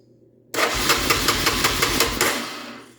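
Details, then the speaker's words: Honda Fourtrax ATV that won't start: brisk, even starter cranking with no firing; no spark found, and the two stator wires read open circuit, so the windings are broken and a new stator is likely needed. "so you probe these two wires coming off the stator should have a reading and appears to be open circuit so the windings are open are broken"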